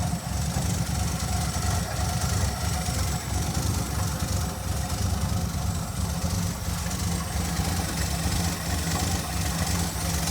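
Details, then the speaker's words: 1982 Ford V8 with a new fuel pressure regulator, at cold idle: deep, fairly even idle sitting a touch low and slow because the engine is cold, otherwise steady; slightly low cold idle. "hey guys island there i know it's a little idle but that's because it's cold"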